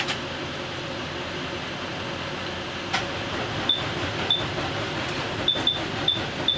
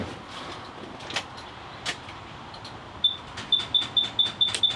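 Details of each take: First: 2017 Thor Vegas RV engine, jump-started from a truck at about 13 V after a starter signal-wire repair: a steady, even whirr as the engine spins over freely on the starter, with a few short chirps. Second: 2017 Thor Vegas RV with front-end damage, after repairing the starter signal wire, on a jump box: rapid sharp clicking with no crank, not enough power; it later spun over with a truck jumped on at 13 V.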